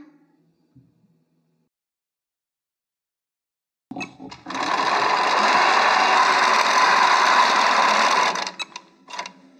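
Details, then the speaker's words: Qnique quilting machine sewing smoothly at about four stitches a second with no catching after top tension adjusted a quarter turn at a time; tension correct, no bobbin thread showing. "there you go yeah my attention just right not filling it had just it's nice and smooth and you don't see the blue"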